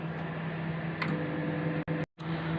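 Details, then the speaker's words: Microwave oven with broken interior paint, repaired with aluminum tape, tested heating water on medium for 3 minutes: a steady low mains hum and even fan drone with no crackle or snapping arcs; normal operation, no sparking, and the water came out hot. "dear viewers, alhamdulillah, no sparking. Yeah, I hope alhamdulillah it will be okay."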